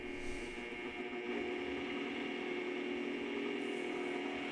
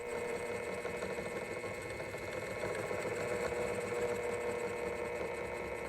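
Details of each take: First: Bridgeport mill 6F power feed after fitting a new 51-tooth gear and topping off with ISO 150 gear oil: even, steady whir with no grinding or clunks, smooth mechanical hum; normal running, gear drive healthy. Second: Bridgeport mill 6F power feed on first test after gearbox and electronics reassembly: steady motor whir with a fine, fast chatter, then cuts out; gear not meshing with the motor pinion.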